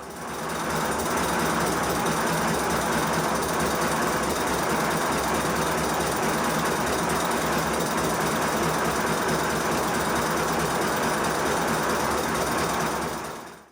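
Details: 5-inch gauge Modelworks Pannier tank locomotive with boiler and water tanks filled to test the repaired suspension runs a fast, steady chuffing beat, about 160 a minute, even and strong on the rollers.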